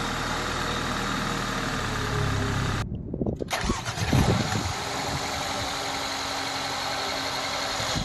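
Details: Normal family car engine, as checked when inspecting a used car for abnormal noises: brief crank, catches, settles to smooth even idle with no ticking or knocking; healthy.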